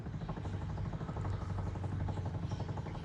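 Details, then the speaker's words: Jaguar MKII during reassembly of the fuel system. The electric fuel pump is switched on and primes with a steady low buzzing hum and a fast, slightly uneven pulse: normal operation. A petrol leak at the top fitting is found afterwards. "Let's turn it on and see if we hear the pump. I hear the pump."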